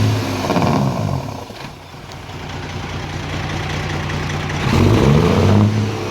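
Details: Detroit Series 60 14L semi-truck diesel with a bad misfire: runs rough, with uneven deep rumble and a loose clatter as it revs and settles; fixed by replacing the wire harness.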